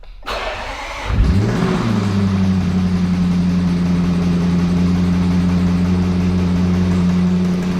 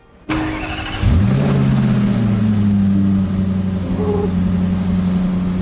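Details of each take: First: 2021 Range Rover SVR V8, salvage rebuild, cranking and idling with a steady deep knock under the exhaust note: sounds like a failed lower connecting-rod big-end bearing. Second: 2021 Range Rover SVR salvage rebuild, first start after repairing a holed engine block, exhaust still disconnected; cranks, catches within a second and settles into a smooth, even idle, fan running, no knocks or misses: normal start and idle.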